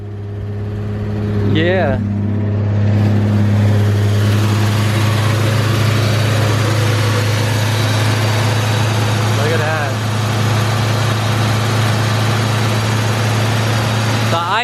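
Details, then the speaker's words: 1963 Chevy C10 at its first start after sitting for years, with the choke pulled fully out. A steady but fast idle with a strong low hum; the choke holds the revs high, and there is a visible exhaust leak. "is a little high i'm gonna just try to bring this choke down a little bit"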